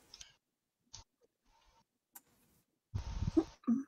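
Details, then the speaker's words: Rokuhan Z scale turnout driven by Digikeijs DK50018 after firmware update and address change: a few sharp isolated clicks then a short buzzy snap as the point throws; solenoid not overheating; switching normally. "uh changes the address so now theoretically when i open and close this this switch right here is gonna move so do you see it do you hear it yeah it's gonna move here"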